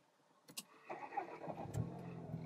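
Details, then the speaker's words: VW Golf R cold start after new Bull-X downpipe, USP oil pan, CTS crank pulley, RS7 spark plugs and Liqui Moly oil, resonator delete, exhaust flaps open: brief starter whirr, then quiet even idle, much quieter than before; normal. "the thing is so much more quiet now even the resonator delete even the exhaust flaps open"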